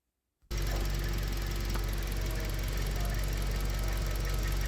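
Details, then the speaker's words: 2015 Toyota Corolla Grande 1.8 petrol, 149,000 km, idling with an uneven, lumpy beat about four times a second: one cylinder misfiring from a faulty ignition coil, also causing jerking and poor pickup; wiring ruled out. "Missing आ रही है, जो झटका हुआ है गाड़ी के अंदर, वो एक ये कोयल ख़राब है।"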